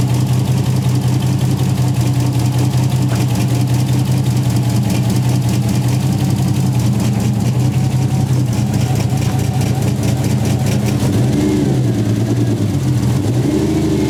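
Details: Toyota 1JZ VVTi swapped into a Nissan 240SX before the fix; uneven stumbling idle and rough, unsteady rev climb under throttle, misfire later traced to an unseated injector plug. Engine misfire.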